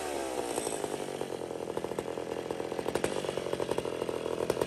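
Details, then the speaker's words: McCulloch 850 chainsaw with a heavily worked ported cylinder: screams up to high revs and holds a clean, steady buzz with no bogging or rattle, a little more rpm still there; engine pulling strong. "that sounds pretty good i know you can hear it up in the rpm too oh yeah and it's even got a little more there"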